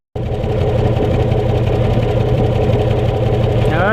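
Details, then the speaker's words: 1996 Chevy Tahoe V8, right-bank exhaust at idle after replacing the 2-year-old plug wires: steady, even idle with no exhaust farting or skipped beats; misfire gone, normal idle. "well this is the right bank now after changing the plug wire to the captain rotor no farting"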